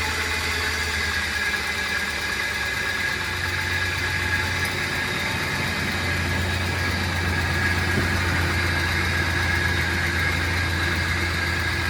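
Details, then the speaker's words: 2004 Ford Explorer at idle, listened to at the pulleys: steady idle with light uneven tapping and a faint whir; pulley noise noted, but an upper-end knock is the bigger concern, cause unconfirmed. "Definitely heard a pulley noise, but that's the least of our worries right now because I'm still hearing a lot of like knocking, like upper end area noise that I don't like to hear."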